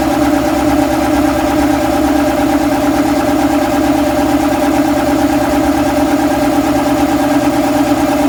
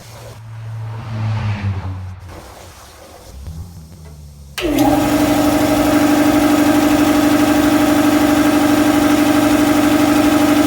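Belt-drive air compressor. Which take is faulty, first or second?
first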